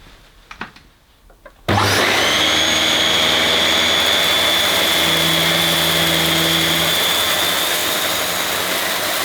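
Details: Refurbished used Dyson DC21 Motorhead canister vacuum, bought smelly and damp, running its motorhead; motor spins up to a steady high whine with even brush bar whirr, no grinding; owner thinks the powerhead sounds better than the DC23; normal brush bar operation.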